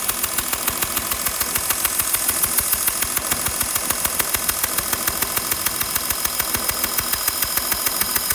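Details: Ticking at idle on a 2012 Porsche Cayenne 3.0 diesel: sharp, very regular crisp high tick about twice a second over a steady idle, like a small exhaust leak puff; exhaust leak suspected, not confirmed.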